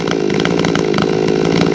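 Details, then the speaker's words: Chainsaw with a new muffler runs fast and even with a throaty, popping edge after bucking rounds; owner suspects a lost exhaust port gasket, an exhaust leak not yet checked. "I don't know what you guys think. That thing sounds like it's popping a little bit. It sounds throaty as hell,"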